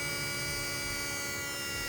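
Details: 2010 BMW 535 xDrive electric coolant pump running after the water pump and thermostat were replaced: a steady, even hum with a constant high whine and no rattles or surging. Normal.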